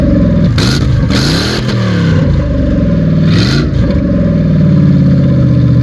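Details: Ford Crown Victoria before its exhaust was finished: a deep, loud, raspy engine note rising and falling with throttle blips. The exhaust is open, and the system is not yet fully installed.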